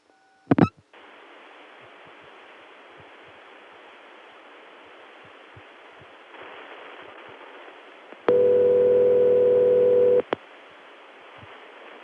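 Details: Denver 757 step-by-step office ringback, "Murray Ring" from a city ring machine possibly modified or defective: low, rough, buzzy ring burst about two seconds long over line hiss, resembling crossbar 5 ring but clearly nonstandard.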